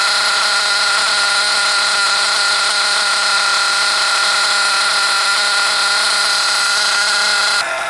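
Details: 2021 HPI Savage X 4.6cc nitro RC truck (GT-6) on first start break-in, factory carburetor settings, engine temp measured at 110 afterwards matching manual: steady high-pitched buzzing at constant revs, no misses, surges or knocks; normal running during break-in.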